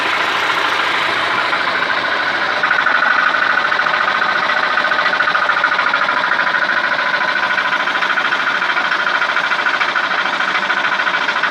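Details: Dodge/Chrysler 2.4L engine at idle: sharp, quick metallic ticking around three per second over steady idle. Flexplate (flywheel drive plate) knock.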